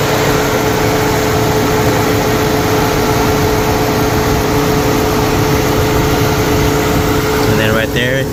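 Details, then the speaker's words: Infiniti M45 VK45DE at idle: steady droning tone over the engine; new serpentine belt too loose from the factory, tensioner bottoms out against its stop and makes noise that sounds like a pulley. "the tensioner starts to hit right there so where that Line's at it starts to hit it and it makes noise and it sounds like it's the pulley but it's actually the tensioner making noise"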